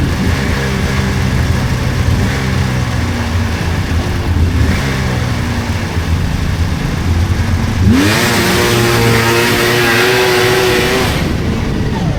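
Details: 1999 Polaris XCR700 triple two-stroke snowmobile, after adjusting belt deflection on the adjustable clutch: revs up cleanly from a burbling idle with pitch climbing and no belt squeal. Jetted fat; clutch engages below 4,000 rpm.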